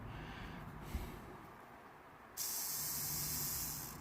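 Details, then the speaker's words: Manifold runner (swirl flap) actuator motor removed from a 2012 Opel Astra J diesel with P2004. It had been extremely hot, apparently straining constantly against a stuck position. Run on its own, the motor works but gives a rough, gritty high whir about 1.5 s long; a worn actuator is suspected. "but it's very noisy like if something is nice is not"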